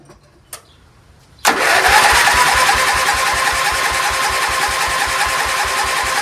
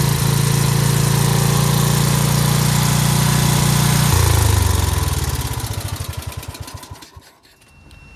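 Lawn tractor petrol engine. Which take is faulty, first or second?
first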